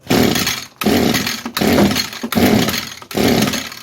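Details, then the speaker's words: 22-year-old Echo two-stroke string trimmer, sat for years: five short ragged firing bursts, each dying under a second on choke; carburetor not giving enough fuel, new carb likely needed. "Okay, more choke. Yeah, I think we're going to have to get a new carb for this thing. It tried, but I want the choke like halfway on."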